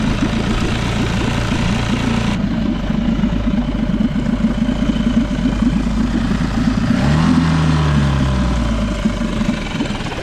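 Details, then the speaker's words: Small single-cylinder outboard at idle after fine-tuning the air mixture (pilot) screw, which had been rough at idle before. Steady, even low chug with no stumbling or hunting: a settled, normal idle. "a little fine tweaking of that air mixture screw I think I finally got it IA better"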